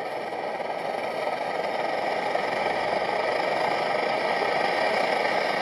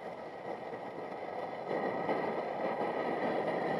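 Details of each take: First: MSR XGK multi-fuel stove, over 20 years old, burning at full output after basic service; steady, even roar that builds slightly then holds without sputtering, burning properly. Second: MSR XGK multi-fuel stove, over 20 years old, after service with new jet and fuel line; steady roaring hiss that surges louder, fuel not getting chance to vaporize: burner running too lean.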